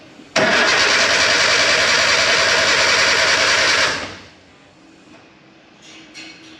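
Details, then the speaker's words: K11 Nissan Micra Super Turbo time attack car after Mallory Park: about 3.5 s of fast, even cranking, never fires; new starter fitted but still no start, voltage dipping below 9 V. "so the new starters on but it's still not starting we've still got some sort of parasitic power draw from somewhere we're still dipping below nine volts when the engine's cranking over"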